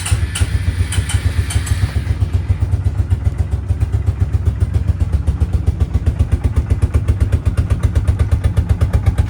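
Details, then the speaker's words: 2004 Suzuki King Quad ATV at about 20°F with full choke: a few cranking clicks, then a low, uneven single-cylinder thump barely staying running; hard cold start. "again it's very cold so it may not want to stay running but I'll get it running okay I got it running"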